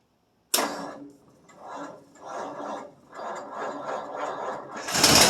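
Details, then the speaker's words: 1947 Ford Super Deluxe, Flathead V8 (about 3,000 miles), first cold start in 1.5–2 years with starting fluid, air cleaner off: slow labored cranking, fires once; weak old battery, only 15 minutes on charger, loose battery connections. "Well, she fired once. The old battery's not got a lot of juice."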